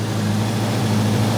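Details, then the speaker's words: Grinnall Scorpion kit car, radiator cooling fan just kicked in automatically, outlet air about 58°C: even steady low hum with smooth constant tone, no rattle or scraping; fan spinning cleanly. "okay the fan has just kicked in [Music] yeah it feels pretty warm there so"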